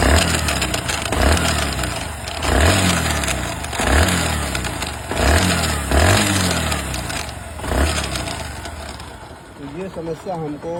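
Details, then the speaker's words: Bajaj Platina ES motorcycle: low clunking surge repeating about every 1.5 seconds over the running engine, appearing after long running, while riding and when revving stationary; suspected starter (self) gear, unconfirmed. "लेकिन यह आवाज आई तो बहुत देर बाद चलाने के बाद समझ में आया चलाने पर और खड़ी रेस गाड़ी रेस लेने पर भी आ रहा"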